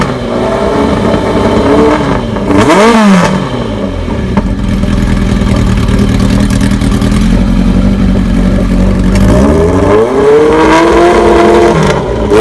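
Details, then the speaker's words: 1985 Kawasaki ZN1100 LTD, cold, KZ1000J carbs, no-baffle exhaust, new oil, filter, plugs: lumpy four-cylinder idle with two sharp throttle blips rising and falling cleanly, no knocking; motor thought internally good, charging system not working. "I think the motor internally is good."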